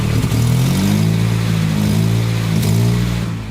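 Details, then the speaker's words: 2005 Toyota Corolla XRS, supercharged, idling during an AFR gauge install: deep uneven rumble with a faint puffing tick from an exhaust leak. "yeah we've got an exhaust leak who could have possibly seen that coming"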